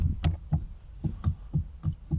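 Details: Dull, hollow knocks about three a second as the steering shaft is worked by hand on a VW Passat B3, from play deep in the steering column universal joint where it meets the steering rack; cause unclear.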